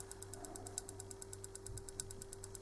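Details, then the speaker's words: Common-rail injector on a homemade cheap solenoid tester at 9 Hz, supply slightly too weak: sharp crisp clicks about nine per second over faint hum; injector solenoid switching, working. "w każdym bądź razie nasz wtrysk wiemy że sobie cyka czyli działa"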